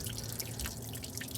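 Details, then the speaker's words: 1978 Ford Country Squire, 50-degree winter day, overheating, steaming after water top-up: constant hiss with fine drips and sizzles as coolant escapes the block onto hot metal and ground; owner suspects a bad freeze plug. "smoky, steamy fun. Okay, so the water that came out of it, that's now on the ground, is still steaming."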